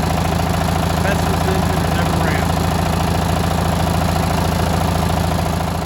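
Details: Li'l Red twin-cylinder tractor on a top-speed run after new spark plugs: steady, even thumping at about three and a half beats a second with no misses or surging; runs great, and there is no longer a gasoline smell at the exhaust.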